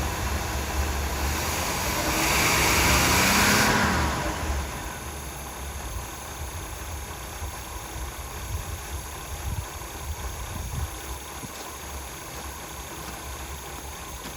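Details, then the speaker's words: Abandoned 1977 Pontiac Grand Prix V8, first start on 30-year-old oil with a possibly gummy carburetor: a brief rev, then a soft, even, quiet idle with no knock or popping. Condensation drips from the tailpipe. Normal idle. "imagine that carburetor is a little gummy, but I would think so, but my Lord, that's quiet."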